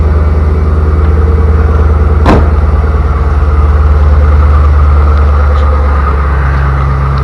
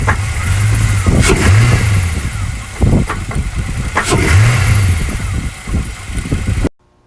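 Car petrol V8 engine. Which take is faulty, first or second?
second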